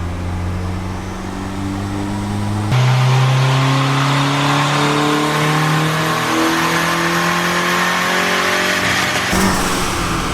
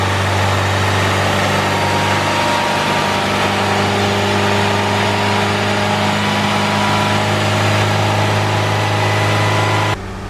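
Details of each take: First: Turbo Civic with eBay turbo kit, Hondata S300 ECU and manual boost control, first logged pull: climbs hard then flattens abruptly like hitting a wall at the top end; running rich from too much fuel in the VTEC map. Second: Turbo Honda Civic with eBay turbo kit and Hondata S300 ECU, after heating manifold and retorquing bolts: steady, even idle with smooth low hum, no exhaust puffing or ticking from manifold or wastegate; exhaust leak fixed, sounds healthy.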